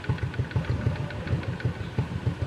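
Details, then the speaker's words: Honda RS XRM 125 single after a tune-up adjusting intake and exhaust valve clearance: settles into an even, steady putt at idle with no ticking; the earlier valve-train clatter is gone. "Nawala na yung lagutok. Alagitik."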